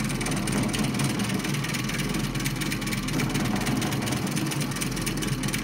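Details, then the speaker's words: Old Vindex "C" sewing machine winding a bobbin, run slowly by pedal: steady rapid loud thumping with dull mechanical clatter throughout, likely just the old, worn mechanism. "this is a very old machine as you can probably hear it's thumping quite loudly so I just don't want the machine flying off the table"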